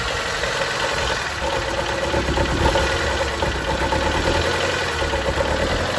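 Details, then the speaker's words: 2012 Chevy Cruze 1.4 with no compression on cylinder 4, idling with no throttle: lumpy, uneven idle with recurring stumble and shake, flashing engine light, barely revs; misfire from the dead cylinder, later fixed by engine replacement. "so that is what a chevy cruze 1.4 sounds like when there is no compression"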